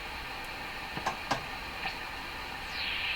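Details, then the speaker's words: Hammarlund SP-600 receiver on the dual-conversion band near 15 MHz, fault believed localized to tubes 6, 7 and 8: steady hiss, clicks and sliding birdie whistles, no stations with or without antenna; no reception. "It's the same birdie. I'm picking up a number of birdies here. It's just nothing making it through this radio. Doesn't matter if you have an antenna or not."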